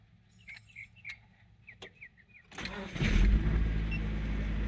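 A couple of soft chirps, then the starter turns briefly and the engine catches cleanly and settles into a steady, even idle.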